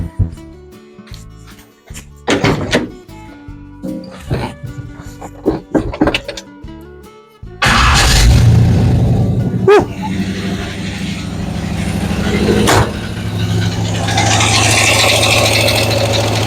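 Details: 1970 Chevy C10 with a 5.7 350 Vortec from a 1998 Chevy van and a 700R4: after refitting the missing spark plug, the V8 starts and settles into a steady, even idle on all eight cylinders, no misfire.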